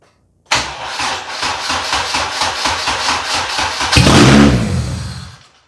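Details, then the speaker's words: 1996 JDM Honda CR-V RD1 automatic AWD with K24 swap on a Hondata KPro base map; the starter cranks about three seconds, then the engine catches and flares and dies abruptly because the failing ignition switch cuts the ignition. "well this thing would be running now if it wasn't for this ignition switch failing in here"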